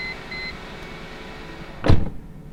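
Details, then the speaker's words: Mercedes S-Class daily driver, after fitting a new crank pulley and serpentine belt to cure a long-standing engine shake: only a faint, even low hum under a single loud thump, with no shake or stumble. It is idling smoothly. "Right off the bat, that is a lot smoother. I can barely tell the engine's on."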